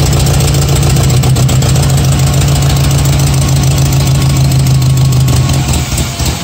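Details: First start of a Datsun 620 with a KA24 swap on Speeduino: loud, lumpy idle with an uneven low chug about three beats a second. One cylinder isn't firing; the injectors were clogged and were then flushed.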